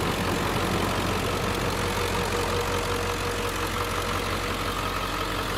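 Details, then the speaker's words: 2003 Ford Excursion Limited, 7.3L Powerstroke diesel, idling with the hood open: an even, regular diesel clatter with no misses, stumbles or odd knocks, and no smoke. A healthy idle. "You can hear it run back here. It sounds like a 7.3 diesel. Doesn't blow smoke or anything."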